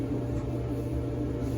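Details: Clothes dryer after repair, running normally: a low, steady drum rumble and even hum with no squeal. Fixed by cleaning the shaft and lubricating the plain metal-on-metal bore, which has no roller bearing.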